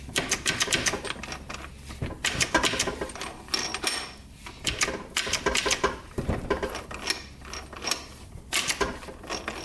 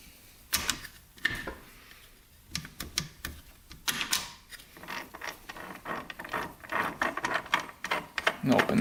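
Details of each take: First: 2001 Suzuki RM125 dirt bike, engine apart and shifted by hand: quick metallic clicks and clunks as each gear is selected, engaging cleanly with fourth slightly sticky; the shift bolt is possibly bent, and it may improve with oil. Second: 2001 Suzuki RM125 transmission, shifter worked through gears: irregular clicks and short grinding scrapes, never engaging; stays in neutral with sprocket spinning freely, a gear installed backwards.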